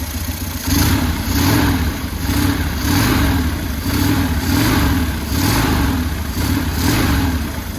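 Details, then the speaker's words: 2000 Buell Cyclone M2 V-twin running evenly after lifter install, new battery and carburetor work, with light throttle blips; initial lifter tick gone once lifters pumped up, little exhaust smoke, idles nicely and quieter than before: normal running and revving. "All right, well, she starts and runs. I think I'll have to call it a video here. It's probably gonna be a short video, but it started, it runs, it sounds good."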